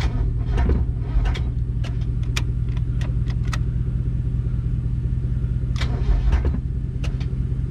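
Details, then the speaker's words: Abandoned Mazda Miata on jumper cables from a truck: slow, labouring crank with uneven compression pulses that never speeds up and won't start; owner unsure whether battery is too weak or engine is locking up. "almost sounds like like it's a time like it's locking up i don't know we're gonna wait till we've got enough juice to actually have a crank over though"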